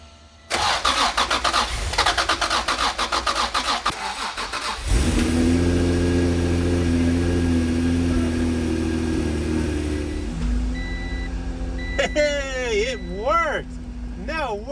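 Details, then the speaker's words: Turbo Honda NSX first started after sitting 10 years, no coolant, suspected injector trouble: engine catches after churning and idles unevenly, rising and sagging; fluctuating idle, owner suspects idle air control valve. "that idle is like a normal Honda thing right like the fluctuating idle that's pretty much yeah the idle air control valve or whatever it is"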